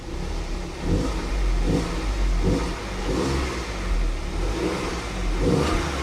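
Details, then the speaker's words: 2010 Audi Q5 Premium Plus, direct-injection engine, junked with check engine light and low oil pressure warning, no dipstick, revved while warning shows: clean throttle blips settling to idle, no ticking, knocking or top-end tick; engine sounds normal. "It sounds fine. It sounds fine. I don't even hear a top engine tick, nothing. It sounds absolutely fine."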